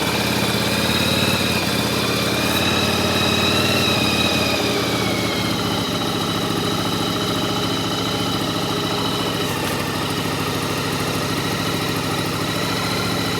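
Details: Yamaha Virago 1100 V-twin right after start, with a lumpy idle and a steady knock roughly three or four times a second over the exhaust; source not identified.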